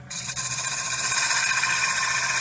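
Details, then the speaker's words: Axminster Deluxe bowl sander with 120-grit pad on a turned bowl: steady high hiss and rasp of abrasive on spinning wood, even and continuous without chatter; sander spinning and sanding properly in the sweet spot. "that sound is the sound you want to hear. And what that's doing is that's spinning this round, and as it's spinning, it's sanding."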